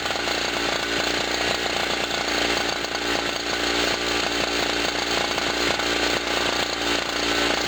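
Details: Generator after its first cold start of 2016, having sat about a year, loaded with a 40 W bulb and a noisy air pump: a high, buzzy two-stroke drone holds a steady pitch over the compressor's rattle. Normal running under load.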